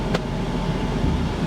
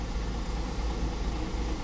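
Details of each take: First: 2010 Audi Q5 Premium Plus, on the drive home after auction purchase: low, even, steady rumble with no misses, knocks or surges; idling perfectly smooth, running normally. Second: 2010 Audi Q5 Premium Plus, 145,000 miles, first start after auction purchase, low on fuel, check engine light and low oil pressure warning on: low lumpy idle with uneven beat and occasional stumble; feels like a slight misfire.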